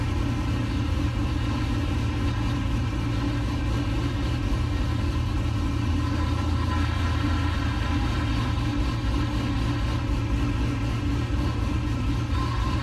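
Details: 1969 C50 farm truck LS-swapped V8 (Frank) idling after a power steering rebuild and bleed, still leaking slightly: deep, steady burble with an even beat and no knocks or misses; idles clean and healthy.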